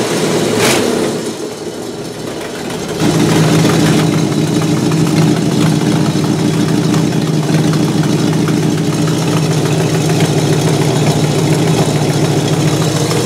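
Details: 1968 Buick LeSabre V8 after engine repair, previously abandoned with no oil pressure and leaking head gaskets; valve cover off, oil pressure good, head gaskets holding, temperature stable around 190°; brief unsettled start then steady even idle, no knocks or misses, healthy.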